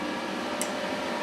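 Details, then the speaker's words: YesWelder DP200 MIG welder switched on at the rear switch for the first time: a click, then a smooth, even cooling-fan rush with no rattle or scrape; normal fan at power-up. "So I'll flip that switch. The screen will power up. You hear the fan kick on."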